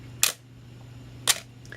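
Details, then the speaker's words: Canon AE-1 Program 35mm SLR with FD 50mm f/1.8 lens, set to the one-second shutter speed: two crisp clicks almost exactly one second apart, open then close, normal slow-shutter operation. "this camera even has a full two-second setting and the bulb setting where the lens stays top down the shutter stays open as long as they hold the button"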